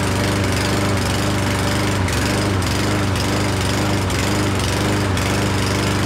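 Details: Certified self-propelled push mower that sat over a year, running after a spray into the carb throat: loud with an uneven beat dipping about every half second; rough, lean running from a partly clogged main jet.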